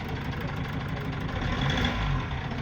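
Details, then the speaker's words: Gazelle with Cummins ISF 2.8 diesel, 165,000 on it, misfiring and smoking: warm idle with a sharp, regular knock over the usual clatter, traced by cylinder cut-out test to the third cylinder; likely cause micro-hydrolock from a leaking injector. "А вот он и источник стука Похоже да Третий цилиндр источник стука"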